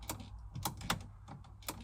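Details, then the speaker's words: 2004-06 Pontiac GTO locked ignition: sharp, irregular dry clicks, about six in two seconds, as the stuck ignition lock cylinder is forced round with grips; cylinder basically broken inside. "I can't, again, you can't do it by hand, it's basically broken, but if you listen, you can hear the clicks."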